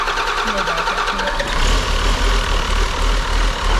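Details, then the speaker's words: John Deere 6068T PowerTech diesel, stored for years, after bleeding air from the fuel system: catches after a brief crank and settles into a steady, even low diesel idle chug, running well. "go ahead and fire it up again yeah it runs good sweet guys all right about a non-running engine unknown condition we got lucky this time it fired right up"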